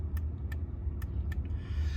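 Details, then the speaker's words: MK6 Jetta TDI with ignition on: four crisp clicks, one per horn press, over a low engine rumble, coming from under the dash; horn relay switching normally while troubleshooting a non-working horn. "This is so you can hear the clicking sound, and you'll hear it. So you see I'll be pushing on the horn here."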